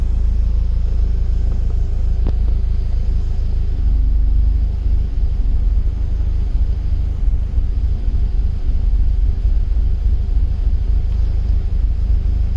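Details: BMW E36 M44B19 at idle: low, uneven rumble that shakes and sags as revs drop, coinciding with random drops in O2 sensor voltage and lambda integrator; sensors, ignition, air leaks, fuel pressure, MAF, ICV, hoses, injectors checked, cause not found.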